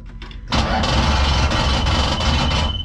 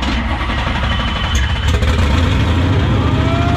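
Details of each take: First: 1968 Dodge Charger with Hellcat engine swap, first start attempt with no fuel in it: the starter spins the engine steadily for about two seconds but it never fires or catches. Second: 1968 Dodge Charger with a Hellcat supercharged V8 swap, first start after hooking up a missing ground strap and priming fuel: catches and settles into a steady, even idle with a rising supercharger whine.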